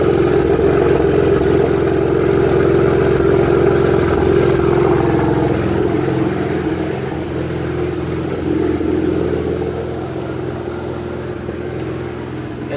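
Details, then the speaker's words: BMW 335i cold start, recorded from inside the car: slightly uneven, lumpy exhaust pulse that settles a little as it warms. Possible misfire; a ticking and a charging malfunction warning were also noted. "okay this is me turning it on from the inside of the car it sounds like a bit of a misfire"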